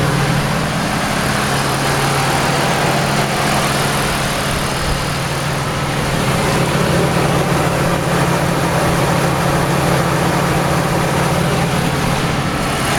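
Smooth, even idle with a steady low hum and the AC fan running; no knocking or tapping, the engine sounds healthy.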